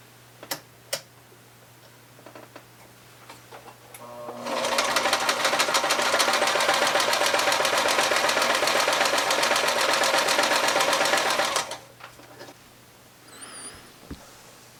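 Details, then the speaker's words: White 999 sewing machine, probably over 40 years old, after more cleaning and oiling: steady, even stitching chatter at about four stitches a second, no catch or grind. The earlier noise and catchy hand wheel are gone; normal sewing. "all right so after more extensive cleaning and oiling uh the weird noise slash catchy feeling in the hand wheel is gone"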